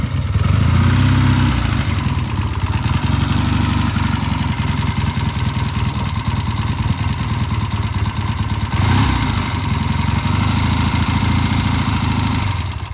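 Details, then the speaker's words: Vintage Triumph twin, oil-in-frame five-speed, cold start after sitting with new tires; pilot jets on both carburetors cleaned of E15 gasoline clogging. Steady, even idle thump, no knocks or misses; runs smooth, ready to return to client. "so this guy's running great started the easy run smooth yes smooth stop smooth uh you can't ask much more from a vintage Triumph"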